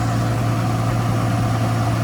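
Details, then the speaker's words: Nissan R34 Skyline sedan (Okubo Factory), cold start: smooth, even low idle with no knocks, ticks or misses, fires right up, no issues; normal cold idle. "Engine running, no issues, doesn't make any sounds, it fires right up."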